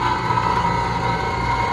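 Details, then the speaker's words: Electro Freeze ice cream machine with beater drive motor fault, alongside a pump motor relay issue; steady hum with thin whine near 1 kHz over rough gritty rumble; beater drive motor dead and failing, needing factory replacement. "nope. Está muerto. Called the factory. Yeah, it is a $750+ motor. Bad times."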